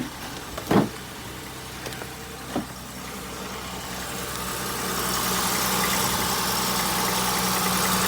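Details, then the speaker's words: 2002 Acura MDX petrol engine at its first start after a new flex pipe and catalytic converter. It idles with a steady, even exhaust note and no ticking or puffing from the joints. Some oil is burning off. No exhaust leaks found after repair. "I don't feel any leaks no leaks no leaks awesome all set"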